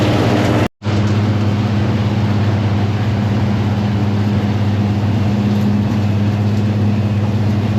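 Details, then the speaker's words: Fendt 926-driven forage blower filling a silo with cocktail mix from a Claas 960 chopper, with the table feeding it in: a steady, even roar with a constant low drone and no knocks, surges or rubbing. Normal, steady running. "There she is, running steady. We got the Fendt 926 on the blower. Not going up super fast, but better than going up slow."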